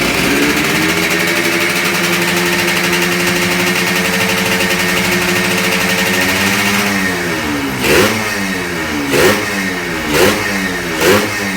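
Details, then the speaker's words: Newly started, not yet run-in Yamaha RXZ 135 six-speed two-stroke, throttle kept light so it won't seize: steady speed then quick clean blips rising and falling smoothly; runs healthy. "Arkadaşlar daha açılmadığı için cihanımız çok gaz vermek istemiyor yeni çalıştırdı Çünkü yeni çalıştır sıkışır motor"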